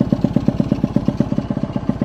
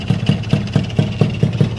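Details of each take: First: Alfa engine in touring spec on a standard carburetor, block hot and smoking: lumpy, uneven low-speed thumping with stumbles. The carb runs too rich at the bottom and too lean at the top and still needs setting. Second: Honda Alfa touring-spec engine with standard carburetor, 14-tooth front sprocket, stock ignition: even steady single-cylinder thumping about four to five beats a second, no knocks or ticks; smooth normal idle.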